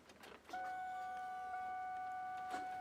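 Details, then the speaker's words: 1994-2004 SN95 Mustang that won't start, with spark but no fuel-rail pressure: at key-on a steady thin whine from the fuel pump heard outside the car; pump runs, owner suspects clogged pump or fuel filter, not confirmed. "can hear the fuel pump get got so I could still mean that the fuel pumps clogged or something"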